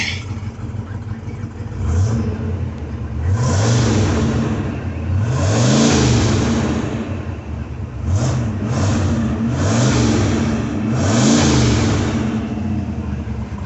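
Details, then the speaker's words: Ford V8 after lifter replacement, about 10 degrees timing advance, carburetor partly adjusted, a suspected brake booster vacuum loss: smooth repeated rev blips about every two seconds, even firing, no tapping; keeps running. "It sounds good and it keeps running."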